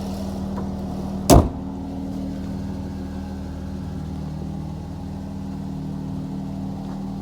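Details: Chrysler 3.6L Pentastar petrol V6 in a Dodge Charger after the ticking fix: runs at a smooth, steady pitch with no ticking or tapping over the hum, now normal.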